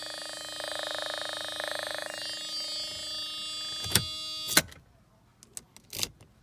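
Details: Mercedes R129 with a known crank position sensor issue and lost instrument power: key on, no start, a pulsing electrical buzz hums for a couple of seconds before a few clicks; buzz source unknown.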